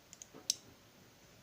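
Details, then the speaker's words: A relay driven by an ESP8266 Wemos D1 mini WiFi switch gives one crisp click among faint ticks as it is switched on from a web page: normal relay switching. "the relay clicking on so you can see where I'm going here"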